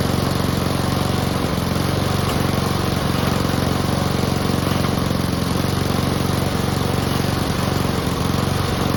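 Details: Honda and Mountfield petrol lawn mowers (Mountfield fitted with a different fuel tank) started together before winterising: two small engines droning steadily at even speed, no misses or knocks; normal running.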